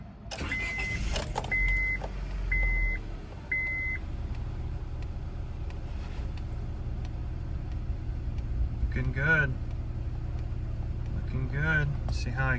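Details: 2002 Honda Civic (7th gen) after replacing bad throttle position sensor for P0122, high idle and late 5,000 rpm shifts, codes cleared: dash beeps, engine fires promptly, steady even idle without hunting or surging; healthy after repair.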